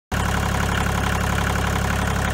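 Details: 1986 Kubota L2550 diesel tractor after a failed fuel lift pump was replaced with a 12 V electric pump: a steady, even diesel chug with a clean, rapid beat and no knocks or misses, a healthy idle.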